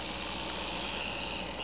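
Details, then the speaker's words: Bachmann Santa Fe GP40 DC model locomotive running on DCC track power at address 00: steady, harsh high-pitched buzz over the small motor, a known drawback of running DC locos on DCC; still functional. "the noise is not uh not terribly pleasant, but he is functional."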